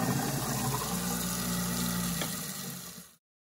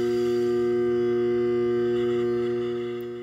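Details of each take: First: Garbage disposal after cooling down and pressing the red reset button underneath. Steady low motor hum with running water, spinning evenly then coasting down: runs normally after the reset. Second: Garbage disposal plugged back in: steady electrical hum with no spinning or grinding, jammed by an object stuck between flywheel and shredder; fix is freeing it with a disposal wrench.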